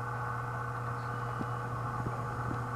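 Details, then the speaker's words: Antique Frigidaire 5400426 fridge compressor after rewiring and a butane test charge at about 40 psi, started on its original relay: low, steady, even hum with faint ticks, no knocking or labouring. It sounds healthy. "Gonna go for a start on the original normal starting system. That sounded perfect."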